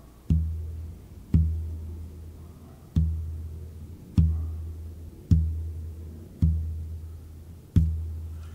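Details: Ferrari cambelt, three years old, about 5,000 miles, due for change, plucked for tension test with microphone: seven dull low plucks dying within a second, no ring; slack, worn belt tension suspected.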